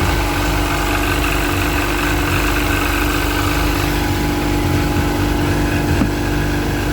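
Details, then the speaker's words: Sea-Doo 951 DI two-stroke after custom rebuild, air system fed shop compressed air at a steady 80 psi, fuel pressure steady against the 107 psi spec; fast, even idle around 1450 rpm holding a steady note, no misses or surging; normal. "we should be idling at around 1450 rpm that's perfect"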